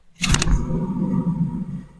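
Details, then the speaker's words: Renault Mégane 1 rear wheel, drum-mounted bearing, wheel spun by hand: low steady hum fading as it slows, beyond normal brake lining rub; bearing dead though no play, other side only sings slightly, bearing to be replaced. "Par contre lui il est vraiment mort. Alors il est pas mort au point d'avoir du jeu en haut et en bas, tu vois, mais par contre quand je fais tourner, alors je sais pas si tu vas l'entendre,"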